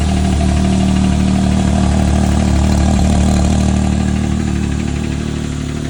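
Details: Can-Am Maverick X3 XMR Turbo RR at steady idle: fairly regular light tick about three per second riding on the engine; source unclear.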